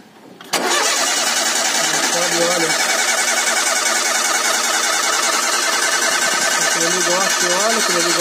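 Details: Ford Zetec Rocam engine (Fiesta, Ka, EcoSport), at start-up: fast metallic ticking from the top end over the idle; hydraulic tensioner suspected; valvetrain tapping on cold start.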